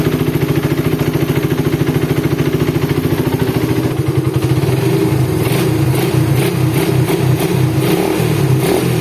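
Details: Suzuki Satria FU single-cylinder after rebuild replacing failed crankshaft bearing, balancer reassembled with timing marks aligned: even, steady idle with light throttle blips, no knocking or rattle; smooth idle after repair.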